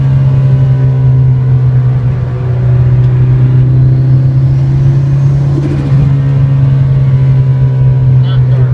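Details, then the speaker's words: 2006 Nissan Sentra SE-R Spec V, built turbo engine (GT35R, e85 tune, C1 cams), freshly rebuilt: steady low drone with a slightly uneven, lumpy run; tuner suspected cam timing, traced to failed cam phaser O-rings. "He said it was most likely timing related, something with cams, something of that sort."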